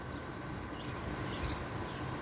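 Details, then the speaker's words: Air conditioner in garage with green rotary compressor and fan motor, on a warm humid day: low, steady, quiet hum with no rattles, squeals or bearing noise; running normally. "doesn't have shot bearings and that's the thing I like because listen it's quiet don't have to deal with that Frigidaire anymore"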